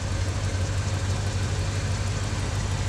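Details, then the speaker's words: 1977 Chevy C10 idling and stabilizing after misfire diagnosis, scope connected: deep, steady low rumble with even pulses, no skips or stumbles; all cylinders firing, smooth healthy idle. "I'm idling let it stabilize"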